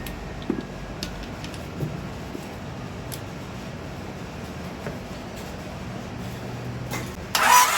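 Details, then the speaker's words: Engine after rod bearing replacement, sat a long time, extra battery connected; starter spins it evenly about four beats a second with no firing because the distributor wasn't hooked up. Crank, no start. "You know what I didn't do? I went over everything I was supposed to hook up, and I need to hook up the distributor. That'll do it."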